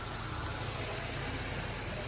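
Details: Honda idling steadily after repair, with rough running traced to the throttle body, a small tube probably touching its blade, rather than a vacuum leak; steady even low rumble, no surging or hanging revs, normal idle.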